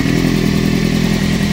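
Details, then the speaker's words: Honda CBR900RR Fireblade with an intermittent hot-start problem, owner suspecting electrical faults: this time it started straight away and runs fine with a steady, even four-cylinder idle. A constant clicking, possibly from the fuel cut-off relay, was noticed. "Started fine, runs fine."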